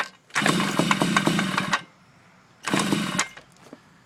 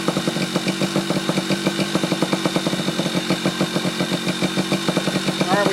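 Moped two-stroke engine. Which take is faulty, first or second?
first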